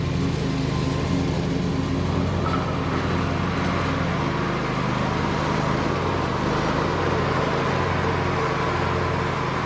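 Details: Bobcat Predator Pro zero-turn with Generac engine after repair for bogging in tall grass, sharpened balanced blades, cutting: steady even drone with no dips or stumbles, pulls cleanly; couldn't make it bog, considered fixed.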